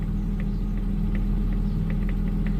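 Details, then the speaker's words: Daimler at idle after replacing resistors that looked burned out: indicator ticks fast, about two and a half per second, on both sides; hyperflash persists along with dash fault light, cause still unknown. "So, I've got the indicator on and it's it's fast clicking. What about the other side?"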